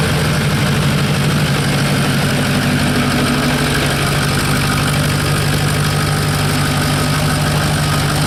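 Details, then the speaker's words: Diesel truck with the exhaust off at the cat: loud open-exhaust idle with a steady low drone and no VGT turbo whistle on top; the missing whistle is part of the problem, cause not yet known. "So like I said, we do have the exhaust taken off at the Cat, so it'll be pretty loud. Like I said, no VGT whistles, so that's part of the problem, but I don't know exactly what it's going to be."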